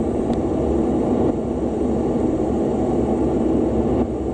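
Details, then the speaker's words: 2017 Lennox rooftop unit, ultrasonic leak detector (ACCUTRAK) held at evaporator coil, possibly middle pass: steady rushing hiss with low murmur, no pulsing; slow refrigerant seep found without nitrogen pressurizing. "So what I think's happening is, if I was to pump this unit up with 500 pounds of nitrogen, I think we'd get a steady stream, but I think the leak is just kind of seeping out."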